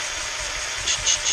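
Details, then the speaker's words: Jaguar MKII engine rebuild, valve lapping with Gunson's Easy Lap tool on a slow drill: hollow rasping hiss as fresh paste cuts the seat, going quiet as paste fines; lift and reseat to repeat. "and then it gets very quiet. It loses that echo hollow sound."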